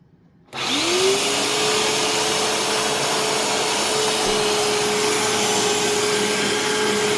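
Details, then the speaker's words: Rescued vacuum cleaner with rusted screws and a gap in the cleaner head: motor spins up to a loud, steady whine with a rough, airy roar underneath; it runs fine but sounds rough and very loud. "so yeah I mean this thing I it sounds a little rough but it runs fine which is good"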